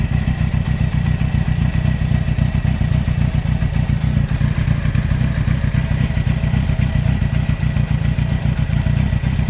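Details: 2003 Yamaha R1 (5PW) engine, 41k miles: heavy low clatter knocking about four times a second from a cylinder 4 big end bearing failure. Cam chain, valves and top end are fine. Harsh downshifts and false neutrals are the possible causes given.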